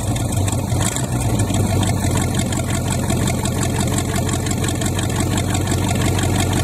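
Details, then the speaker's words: $200 used Chevy 350 small-block V8 run on an engine stand, cold start: deep, steady idle staying even with no misses or knocks, little smoke seen; running healthy before warm-up and block flush. "I know seem like it took off for good it didn't really see much smoke but the camera probably caught more than I can see I'm going to let it run a bit get nice and hot"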